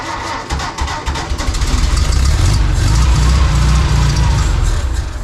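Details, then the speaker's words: 1952 VW barn door ambulance, 25hp air-cooled motor. It cranks at about four beats a second and never fires because it isn't sucking fuel up; they suspect too little fuel in the tank to prime the line. "Yeah, I told you. It's not sucking your fuel up. Why? There's not enough in it."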